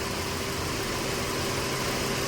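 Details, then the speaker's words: Mercedes-Benz four-cylinder (W204/W212) with pickup loss, at idle before scanning: uneven idle with steady low shake and faint stumble, engine visibly shaking, running on three cylinders from a misfire. "तो आप देख सकते हैं अपना गाड़ी start हो और जो इंजन है ना वो कांप रहा है हिल रहा है"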